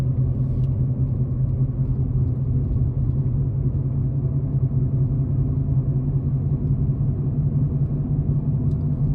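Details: Ford Ka with suspected worn front wheel bearing, no play or rumble when spun on ramp, NVH road test at low speed up to about 20 mph; low steady droning whoa-whoa hum with faint wavering beat; worn wheel bearing drone.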